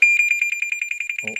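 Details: Porsche Boxster 986 with a central locking fault, passenger footwell wet: high, piercing beep repeating about ten times a second without pause as the car alarm goes off.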